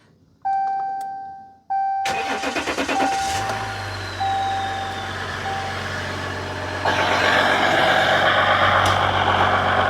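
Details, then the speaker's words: 2015 Ram EcoDiesel, tuned, after crank-no-start with no codes, air intake reassembled and throttle body cleared: door chime, starter cranks about a second, diesel catches into steady even idle; lack of airflow was the cause. "well it's funny how a lack of air will prevent the engine from running"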